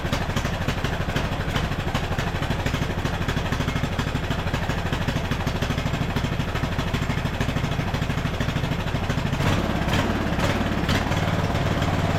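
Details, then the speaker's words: Craftsman LT1000 riding mower, carburetor rebuilt, mixture screw not yet adjusted, first start: loud, uneven chuffing about two to three a second with stumbling; lean running, fixed by richening about half a turn. "I just had to add a little more fuel. I think we went out like, what, a half turn or so? These weren't adjusted right."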